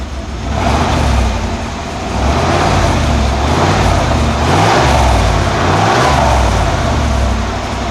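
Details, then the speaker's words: 1991 Cadillac Brougham V8 after replacing exhaust from catalytic converter back with new resonator and Walker Quiet-Flow SS muffler to cure drone near 59 mph: revved off idle, even note with no pulsing beats, exhaust healthy. "that sounded better from within the car didn't hear those annoying beats"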